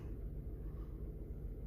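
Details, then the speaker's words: 2008 Skoda Fabia 1.2 three-cylinder petrol at idle after swapping coil packs: low, uneven lumpy idle; misfire stays on cylinder 2, coil pack ruled out, spark plug looks good. "boom we are back in our engine still started and look we're still getting a misfire on cylinder number two"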